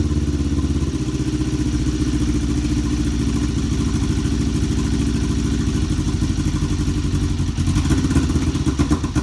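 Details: Kawasaki EX500 first started after a couple of years unused. Loud, choppy, uneven twin idle with thuds and clatter, and it won't stay running. Carburettor suspected. Rough idle.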